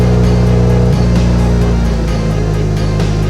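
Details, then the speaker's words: BMW 335i with VRSF charge pipe and MHD tune, after misfires were fixed with new spark plugs: steady, even, smooth idle once cooled down, no wastegate rattle or miss; normal idle. "It's idling properly. I didn't hear any wastegate rattle, so that's good."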